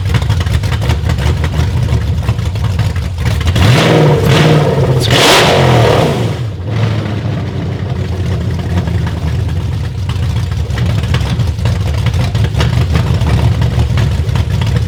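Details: A BMW E38's replacement V8, on its first start using the original engine harness after priming, catches, surges through two hard revs, then settles into an uneven, lumpy idle. Rough running, cause unknown.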